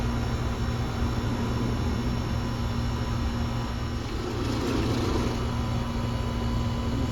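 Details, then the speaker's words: R22 condenser unit on a no-cooling call, damaged disconnect, fan wire pulled out: steady low drone with constant hum over fan rush; fan sounds bad, amp draw unchanged when noise occurs, cause not pinned down. "All right, well, we got it started. Our fan sounds like crap. The fan wire pulled out. See what it's pulling when it makes that weird noise."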